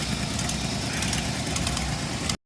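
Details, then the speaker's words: Jeep six-cylinder with fuel injection, only four of six cylinders firing after new wiring harness: lumpy, stumbling idle with uneven low chuff and shaking beat; fault turned out to be a fried PCM. "This is the current state. Same as it was. Four out of six cylinders. shaking and missing and"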